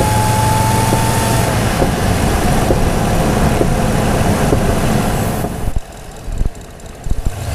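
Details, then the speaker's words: Toyota Tundra Platinum Pro with supercharger, microphone hanging in the engine bay; steady thin whistle over the engine rumble, making it sound like a turbo diesel: supercharger intake whistle. "there is a heavy duty whistle coming out of that thing speaking of heavy duty the engine actually sounded like a tur turbo diesel with that whistle going on"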